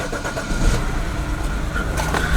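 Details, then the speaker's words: BMW N52 inline-six, just started after code clearing: engine catches into an uneven, stumbling idle with lumpy low beats; scanner then shows cylinder 1 misfire, traced to a faulty fuel injector. "i'll still run a little crappy like you did before"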